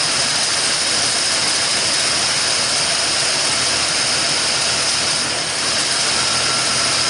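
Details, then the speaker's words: 1974 Ford F100 rebuilt V8, warm idle with 60 psi oil pressure at idle. An even, steady roar with some hiss and no knocks, misses or hunting: a healthy idle. "all right now just let it sit and run uh we got 60 pounds of oil pressure in idle that's fantastic"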